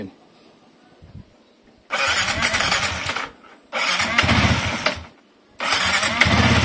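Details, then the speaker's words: Older Yamaha MX King 150 after a major engine service, first start with fresh radiator coolant and oil checked. Engine catches and revs in three clean bursts, dropping back cleanly, no knocks or rattles; sounds smooth and healthy. "nah ini udah nyala motornya ini Alhamdulillah suaranya halus ya Nah ini suaranya halus ini tinggal kita diamin aja"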